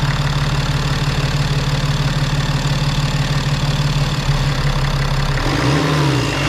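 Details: BMW X5 N57 3.0L diesel being checked for rising oil level from leaking injectors; reassembled and started without bleeding: steady, even idle clatter with a low drone, no misfire or stumble; normal idle.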